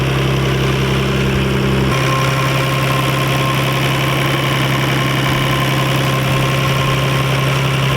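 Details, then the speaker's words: Nissan R32 Skyline GT-R, warm after driving, following replacement of all fuel injectors: steady even idle drone with no misses or knocks, idle rpm slightly lower than before; running normally. "okay so we've been driving the car a decent amount and it it's perfect it's normal my rpms dropped a little bit too so that's pretty good"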